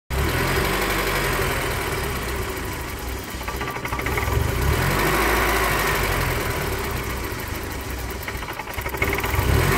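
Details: BMW 318i with M40B18 four-cylinder petrol engine idling roughly, rumble wavering and stumbling; no vacuum leaks found and idle control valve checked OK.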